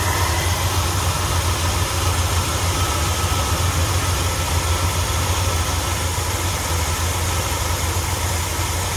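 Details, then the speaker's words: 1977 Ford F250 Custom Highboy, carbureted V8, high idle fixed by addressing the choke return spring, no longer smoking: steady low rumble, even pulses, no surging or misses; normal idle. "Just a wee bit lower. You may need to tune it though."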